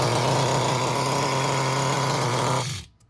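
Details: Traxxas Nitro 4Tec with rebuilt 3.3 nitro engine on bench test: screams at a steady high buzz with even revs, no misfire or sag, then cuts off cleanly. Running healthy.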